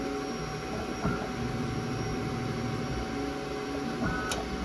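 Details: Creality K1 3D printer under three months old with under 15 print hours: steady motor hum with constant small clicks and a couple of sharper clacks.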